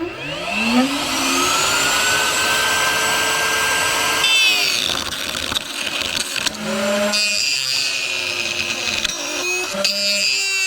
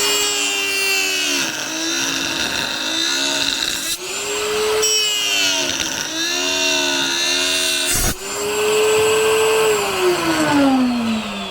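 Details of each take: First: New router on its highest speed setting, used cutting thick wood: whine climbs to full speed, then wavers and rattles with dropouts and a rough buzz, a noise it did not make at first; loose collet. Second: Router cutting a 2x4: a high, steady motor whine that sags under each cut and recovers cleanly with no rattle or chatter; running healthy.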